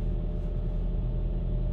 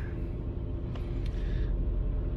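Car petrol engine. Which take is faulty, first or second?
second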